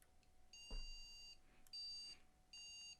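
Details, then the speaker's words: Three long shrill beeps about a second apart from a motherboard with a 3000G processor and speaker fitted, after BIOS reflash: beep code for missing RAM. "I hope you can hear that those are beeps for missing Ram missing Ram it is"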